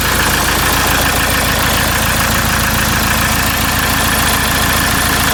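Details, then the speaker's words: RAM ProMaster 3.0L diesel after EGR valve repair for limp mode (codes P0101, P0402), intake manifold and throttle body reinstalled: loud but steady, even diesel clatter at idle, no misses or knocks, no leaks. Normal idle. "it sounds good we don't have any leaks around the engine everything looks good"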